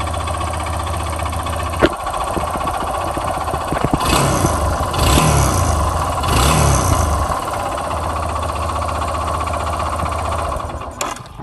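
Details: 2012/2013 Yamaha XTZ 250 Lander idling with a couple of throttle blips and an uneven tapping through the engine; the owner asks what the noise could be, and the source is unclear.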